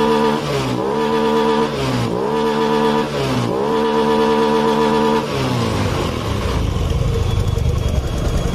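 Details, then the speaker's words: Honda Beat Pop scooter with no power at high rpm or full throttle and CVT noise; TPS sensor suspected faulty and being adjusted. Repeated clean blips, then a steady high rev at half and full throttle without stumbling; normal revving. "ini sampai mentok nih mau setengah mau gaspol ini enak tuh"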